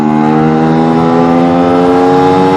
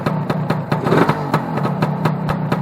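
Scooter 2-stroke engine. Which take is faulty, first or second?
second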